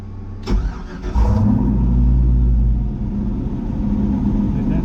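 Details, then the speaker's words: Turbo LS 5.3 in a C10 with a new vacuum-operated loud valve (exhaust cutout) behind the turbo on the downpipe: on its first run, deep uneven puffing idle as exhaust leaks past the closed valve; quiet only at 7 inches of vacuum or more. "so the valve is closed right now and that is the exhaust leaking past the loud valve like crap"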